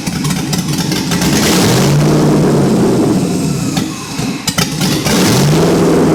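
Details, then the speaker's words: LS-swapped 2001 Lexus IS300: tape covering a rear intake manifold port came off, creating a large vacuum leak; the engine flares and hangs at high revs, rising to a steady roar near 4,000 rpm without settling back. "Which would explain why now it's just shot up to 4,000 RPM, because now it's got a giant vacuum leak."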